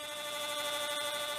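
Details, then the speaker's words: X-Carve CNC router with a 1" diameter, 1/4" shank dish-carving bit cutting a wooden tray: high steady whine with rough fluttering chatter, ruining the surface finish. "hear that chattering did it did it it's really ruining the surface finish"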